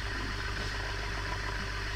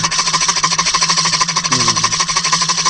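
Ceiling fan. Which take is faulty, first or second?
second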